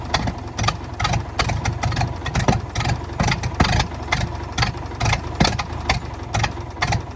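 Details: 1929 Ford Model A four-cylinder, abandoned 75+ years, on starting fluid: uneven, lumpy running with sharp exhaust pops every couple of seconds; the exhaust valve still pops now and then.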